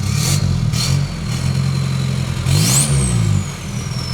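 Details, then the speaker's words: Volkswagen Jetta Wagon diesel with a newly built full exhaust, first start on the ground: deep, steady diesel rumble rising cleanly with each throttle blip, no rattles or leaks; normal exhaust note. "Oh yeah, that sounds freaking great."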